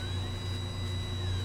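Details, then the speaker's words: Ender 3 3D printer during build: steady low hum with a thin high whine on top; fan catching on something, suspected missing adjuster wheel caught in the fan or bent fan blade; loud noise. "Yeah, I've got a goofy blade on the fan, it looks like. Just a second. Oh, that's an awful noise."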